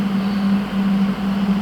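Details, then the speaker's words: HL 1060Z 100W CO2 laser cutter water chiller just switched on (green LED lit): a steady low hum with a couple of brief dips, no knocking or rattle. The compressor is running normally; hot air blows out the back. "The green LED lit and the water chiller start working. We will hear the sound from compressor."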